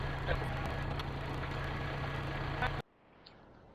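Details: Kubota L-series diesel tractor just after its power steering pump repair, with loader hydraulics reconnected: even diesel clatter at a steady idle for a few seconds before shutting off; the engine runs cleanly.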